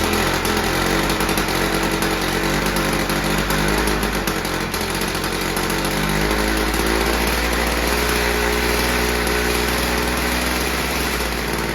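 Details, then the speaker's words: VICTA Tilt-A-Cut lawn edger with a 2-stroke engine, from a garage sale, running after a few pulls: steady high-pitched buzz at even speed with no misses or surging; it would not run only because the fuel line had come disconnected. "You know, it took a few pulls, but she started up and ran."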